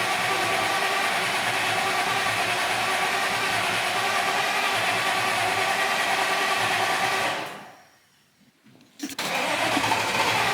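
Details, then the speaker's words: 2014 supercharged Audi S4, cranked after the owner's own repair following a check engine light. It cranks steadily at about three beats a second but won't fire; it starts only after being given a little gas. "The car just simply is not happy about it."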